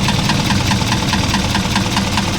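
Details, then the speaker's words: Isuzu 4HL1 electronic diesel at idle. A sharp regular knock about five times a second, with smoke puffing from the dipstick in sync; external parts are fine, and with the valve cover off the rocker arms and valve clearances are OK. Piston slap. "may kakaibang tunog at Bukod sa tunog na yon halos Sumasabay yung Buga ng usok sa lipstick saka yung tunog ng lagatak sabay na sabay yung Buga ng usok na yan"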